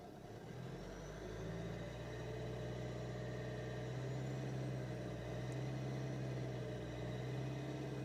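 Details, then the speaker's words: 2007 Renault Mégane 2 estate 1.5 dCi diesel: uneven low surging hum when pedal barely touched; diagnostics show pedal position track 1 at 14-15% with foot off versus track 2 at 1%; faulty accelerator pedal position sensor. "Position de la pédale de la piste 1, je suis à 14% alors que mon pied n'est même pas dessus. Et pédale, position de la piste 2 est à 1%."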